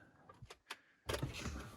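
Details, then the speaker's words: Half-stripped free BMW E38 750 V12 facelift, one battery and heated-cat module disconnected, first start attempt: faint clicks at key-on, then a steady electric hum of the fuel pump priming; normal. "oh, I hear the fuel pump."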